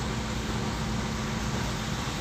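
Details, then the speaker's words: Gen 2 Toyota Corolla twincam liftback, just started, AC off, idle stable at 800 rpm: quiet steady hum with no valve chatter, surging, misses or knocks; normal idle. "Oke sekarang kita dengerin suara mesin ini ya teman-teman ya langsung halus nih Biasanya kan kalau twinkan tuh baru dinyalain kemrecek ya suara klepnya ya tapi untuk ini silinder alus masih nyaman"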